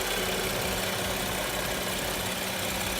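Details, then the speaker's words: BMW N55 engine idling after spark plug change, no trouble codes or misfire warnings; even, steady, quiet idle with no knocking, ticking or tapping; normal idle. "And engine's running perfectly fine, nice and quiet."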